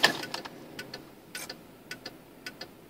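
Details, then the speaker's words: 1995 Cadillac Fleetwood, left turn signal after being outside in rain: paired relay clicks repeat roughly twice a second, well above normal flasher pace; hyperflash from a broken bulb socket contact. "I took the car outside and I turned on the blinker and it started blinking really fast"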